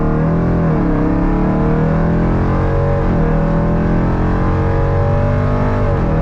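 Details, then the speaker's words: 2018 Jeep Grand Cherokee Trackhawk, supercharged V8, after an engine swap for a cracked piston: strong, smooth pull under acceleration with pitch climbing cleanly through each gear and dropping at shifts, no knocks or misses; no codes returned. "none of the codes came back so that's a really good sign we've got everything hooked up right and the engine's running like we wanted to"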